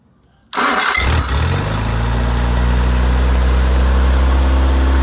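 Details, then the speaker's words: Freshly rebuilt engine FM95049UCE, good compression, oil pressure and water temperature: cranks, catches quickly, then settles into an even, deep rumble with no knocks or misses; healthy, run-in below 3,000 rpm advised. "I think you just have a really good solid engine here with some performance. I think you'll notice a huge difference."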